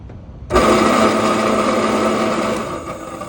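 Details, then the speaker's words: York package unit evaporator blower motor, run detached from its blower wheel: a steady, rough whirring drone with a grainy rattle; the motor itself makes the noise (worn bearings), so it is replaced, not repaired. "again so the blower motor by itself is making all of this noise so we don't repair these motors we just replace them"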